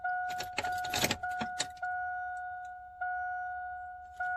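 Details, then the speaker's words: 2001 Silverado 2500 at key-on after fuel pump replacement: keys jingle and only the dash chime sounds, no fuel pump whine; pump not priming, cause not yet confirmed. "i don't even hear the pump mother bleep well this just goes to show how much i love you guys because uh normally most people would just turn everything off and never post this"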